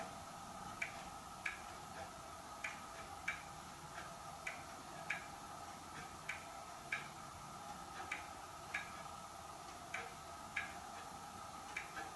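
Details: Hermle weight-driven grandfather clock movement on a homemade leveled test stand (F-350 rotor disc base), pendulum just fitted; crisp even ticks about every half second over quiet room hiss, steady and in beat.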